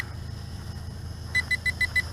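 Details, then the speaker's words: TIANQU VISUO XS812 GPS 5G WiFi FPV quadcopter in flight, low voltage warning already shown, awaiting low-voltage return-to-home: five short sharp high beeps about seven per second over quiet hum; warning beeps, exact meaning unconfirmed. "okay so we have a low voltage warning already oh wow not much flight time"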